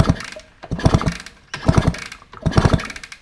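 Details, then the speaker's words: 1980 Kawasaki KV100 100cc two-stroke, bought for $100 and long unused, kicked over with WD sprayed down plug hole, no fuel yet: three kicks of firm, even chuffs; compression sounds healthy, decent plug gap. "yeah it actually sounds pretty healthy and we've got a decent plug gap"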